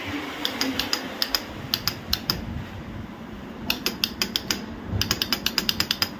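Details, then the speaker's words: Royal Enfield Bullet 500 standard, ignition on and self-start pressed with a fully charged battery. Only sharp dry clicks in quick bursts from the starter relay, no cranking: faulty starter relay. "ഈ ഒരു sound മാത്രം. ഇതിൻ്റെ relay സ്റ്റാർട്ടറിൽ നിന്നാണ് ഈ sound വരുന്നത്."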